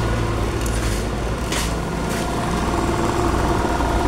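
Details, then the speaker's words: Yamaha NMAX scooter with an ACG starter and a snapped cam chain; the starter spins the engine with a light, even fan-like whir, no compression pulses, no exhaust puff, and it does not run normally. "dengarkan ini ada suara ketika kita double starter ini seperti menyala namun tidak seperti pada umumnya Pak ya tuh seperti suara kipas ataupun seperti suara putaran dinamo"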